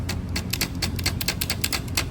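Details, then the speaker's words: Supercharger turning over, sharp irregular ticks and clacks several per second; something loose rattling inside, getting worse, frees up when tilted; suspected loose internal part, not confirmed. "Yeah, there's something loose in it. It has to be."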